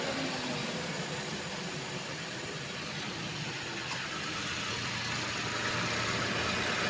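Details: Wuling Confero idling after fitting a custom-bracketed Denso AC compressor, charged with two cans of refrigerant: steady, even idle with a smooth hum and airy hiss, no knocking or squeal; compressor runs fine, good suction.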